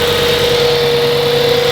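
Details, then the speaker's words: Audi S6 V10, after oil-leaking valve covers were resealed, left idling 5–10 minutes to check for smoke: a steady, even idle hum with no knocks, misses or rattles. Normal idle. "donc là on va laisser tranquillement allez 5 10 minutes au ralenti par que normalement ça fume immédiatement de ce côté-là"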